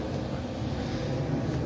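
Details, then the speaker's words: 1986 Kenmore 70 Power Miser furnace, recorded upstairs at return: steady low rushing roar of air without rhythm or knocks; heat exchangers plugged and blower motor sounding worn; noisy return air duct. "I take you upstairs, and I don't know if you can hear, but that return is very noisy. Very noisy."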